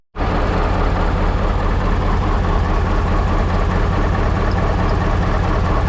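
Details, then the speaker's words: 1988 GMC C7000 dump truck engine running after the belt was tightened: a deep, steady, even drone with no belt squeal or chirp. It sounds healthy. "when i had that off i tightened that belt that's not squealing anymore this thing really sounds good"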